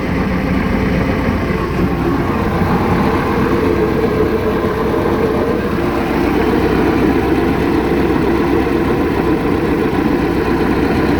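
Low, uneven idle with a slightly lumpy, wavering beat and no steady rhythm; engine is idling rough, cause unclear.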